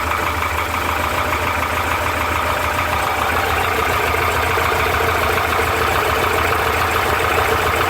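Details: Porsche 912 at idle: busy air-cooled flat-four idle with a light, fairly regular tapping about three times a second, labeled as piston slap; source unconfirmed.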